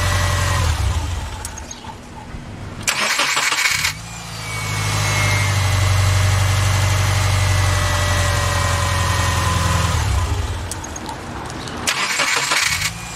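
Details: 2007 Subaru Forester after replacing the failed starter: short crank, clean catch and smooth, even idle, then shutdown and another quick restart; starting and idle sound healthy.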